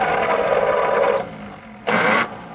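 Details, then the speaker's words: 1937 Buick Special straight-eight, sitting for decades, with the starter switch on the accelerator pedal; starter whirs about a second and the engine turns over but never catches, then a brief retry; cranks, no start, as the added electric fuel pump would not push past the mechanical pump. "our electric fuel pump would not push past the mechanical pump"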